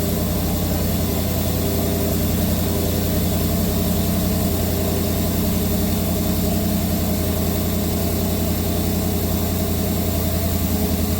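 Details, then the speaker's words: 1983 Chevy C10 square body, 305 or 350 small block with Sniper fuel injection, warmed up with the distributor being reclocked: a lumpy, uneven idle stumbling about three times a second, missing on two cold cylinders; one had a burnt wire, bad gas suspected. "It smells like bad gas, and it sounds like it's missing on 2 holes."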